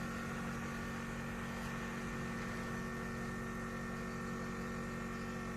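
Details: Ice cube maker after repair, at the start of an ice-making test: steady even compressor hum with a soft fan whirr underneath, no knocks or rattles; compressor and fan running normally.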